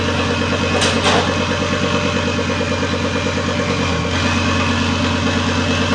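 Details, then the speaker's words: Volvo S60 T5 donor engine in cut-off front half: loud raw open-pipe idle with even firing and a brief blip, no exhaust fitted; runs steadily after removing the airbag control module, following days of crank no start. "Well, I'm as happy as can be. It runs, finally."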